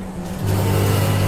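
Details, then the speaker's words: Milesto espresso machine heating up with its thermoblock empty of water: a loud, steady low buzz from the pump running dry, which then draws water for about 23 seconds to fill the thermoblock. "dia kosong tuh berisik suaranya kalau kosong nah begitu udah ada akhirnya dia narik keluar air dulu 23 detik jadi uap cukup cuma buat narik airnya sampai bowler ya keisi air"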